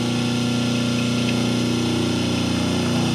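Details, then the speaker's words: 5 hp three-phase motor on single-phase 220 V with the start capacitor and only the first 36 µF run capacitor: steady, heavy low hum with a slight throb. Unbalanced phase voltages, measured at about 194, 186 and 208 V. "Now the motor, what goes wrong is that it sounds a little less, and we are going to measure the voltages now in the three lines, to see what difference we have"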